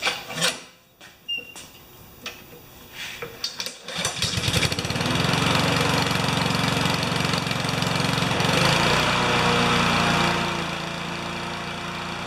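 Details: Honda GCV160 mower engine, next-day cold start after washing and fresh gas, before governor adjustment: a few pull-cord tugs, then the single cylinder catches at once and settles into a steady, even run.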